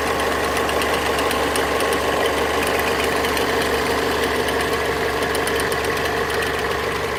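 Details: Mazda 6 MZR-CD 2.2 diesel at idle: steady light relay-like clicking about three per second, more frequent with more electrical load (lamps, fog lamps); owner suspects alternator freewheel/loose pulley, unconfirmed.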